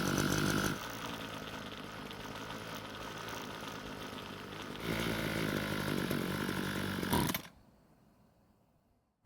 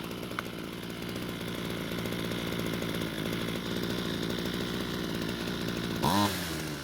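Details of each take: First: Ryobi two-stroke string trimmer, long unused, air filter cover off, buzzes at idle, surges briefly when throttled then cuts out; lean low-speed mixture starving it of fuel, planned fix is turning L screw counterclockwise and raising idle speed. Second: Ryobi two-stroke string trimmer test run after turning the L screw counterclockwise and raising idle: steady, even buzz at constant speed with a brief rev near the end, running cleanly; attachment noticed slightly loose.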